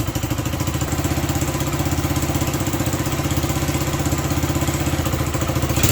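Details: Honda SL100 single in a 1975 SL125/XL125 frame, worn out, cold, while carburetor screws are adjusted: loping, hunting idle about four pulses a second; carburetor fault, lean running, revs only with choke almost on.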